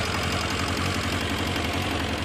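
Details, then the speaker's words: Warm 2000 Kawasaki ZR-7 inline-four at idle: light, quick, even tapping over the engine note, reportedly much worse before and going away when throttle is applied; source of the tap not identified. "Here's what this engine sound like. It's already warmed up, so. You can hear a tapping sound, but it was much worse than that, trust"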